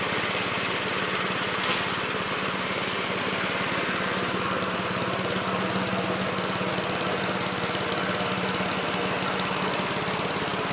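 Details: 1969 Gravely C8 on a morning test run after fixing no high range (worn ring) and reassembly: steady, even small-engine chatter at constant speed with no knocks, misses or surging; runs normally.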